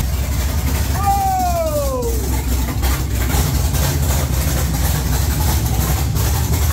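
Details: 1969 Camaro with swapped LS3 V8, Holley ECU speed-density startup tune, open headers: deep, lumpy, loud big-cam idle holding steady on its own, sounding like a pro stock car; normal idle.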